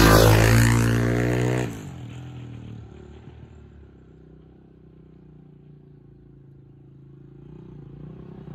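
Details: 1987 Honda XR250 on the bench, good compression. Quick rev falls away cleanly, then low, steady, even idle with no knocks or misses; engine healthy, runs 'like a Swiss watch'.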